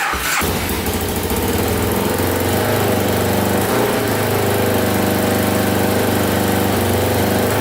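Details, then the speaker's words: 2000 Can-Am DS650 quad, top end rebuilt, first runs: catches then holds steady fast even idle that never drops, also with choke out; idle too high, owner suspects throttle cable slightly too long and plans to trim it. "sounds pretty good i don't hear any top end movement at all response is really good seems like it's got lots of power um but that that it's still idling pretty high i don't know what's going on with that"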